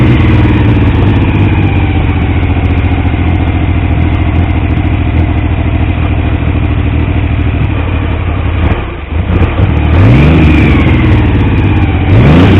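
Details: Triumph T150V triple after head and cylinder removal to fix oil leaks; started on the 2nd kick. Even, deep idle, then two clean blips rising and falling smoothly. Oil pressure ~70 psi revving, ~40 psi below 2000 rpm; no leaks; running normally.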